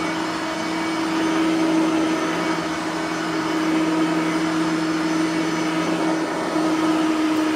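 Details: Bissell 3510-9 (9 amp) upright vacuum after greasing both brush roller bearings; steady even motor whine over a constant hum, no scraping or rubbing from the brush roll anymore; runs smooth, normal running.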